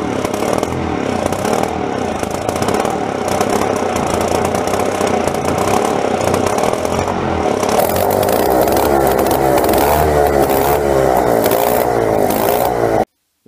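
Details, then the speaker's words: Late-60s/early-70s Dexon Swinger mini bike's vintage Tecumseh two-stroke; buzzy and uneven, speed surging and stumbling rather than holding steady; rough running, the carburettor needs removing and cleaning. "hey that runs it's not perfect the car B needs to be taken off and cleaned up properly but she's running alright"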